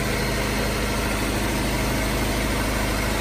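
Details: Car engine at even, steady idle with a smooth low rumble and no knocks or misses after a jump start from a Clore JNC770R Jump N Carry on a dead battery; the car shows it is charging, idling normally.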